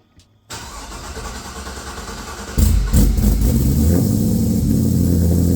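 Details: A newly LS-swapped 1985 Trans Am with a Brian Tooley Red Hot cam and an unfinished tune, started warm (not a cold start) before its first drive. A quick crank catches into a loud, deep, lumpy, steady lope. Normal start-up and idle.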